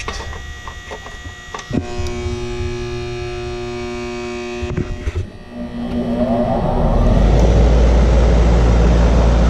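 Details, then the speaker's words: AC compressor that won't start: the capacitor reads 42 of a rated 45 µF. A loud steady electrical hum never spins up into a running note, then a rush of air; a locked rotor is being checked by amp draw, and a hard start kit follows. "so now we'll fire it up and we'll see if we're drawing what's called locked rotor amps to see if the compressor is locked up"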